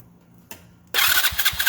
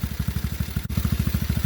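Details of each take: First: TaoTao GK110 go-kart, 4-cycle engine, first start after replacing dirty carburetor with new one, choke on: catches at once, then quick busy chug of two to three firings a second sitting too high; idle too fast, needs turning down. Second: TaoTao GK110 go-kart, 4-cycle single, restarted after new carburetor fitted, checking idle adjustment: steady even thump roughly ten beats a second, no misses or stumbles; clean, healthy idle.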